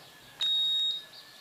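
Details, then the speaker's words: Electrolux Turbo Economia 8 kg washer that would not power on, after its control board was refitted: one clean, high half-second beep and LED blink on plugging in, showing it powers up normally. "vocês puderam ver, ela fez o barulhinho e piscou, ó, dizendo que está ligada lá."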